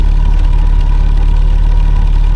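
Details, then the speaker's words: Triumph Herald Estate after a carburetor swap and leaning the mixture: steady, even low idle with a smooth rumble, no misses or knocks; normal idle. "it don't sound bad you know"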